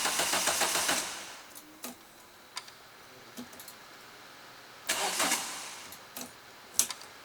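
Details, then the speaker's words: Renault Clio 172 with a newly installed engine, first start attempt in 9 years: two short cranking bursts, engine spins but never fires; there is no fuel at all and the fuel pump appears dead. "I don't know if I hear fuel priming so we found another problem with the car um there's no fuel at all"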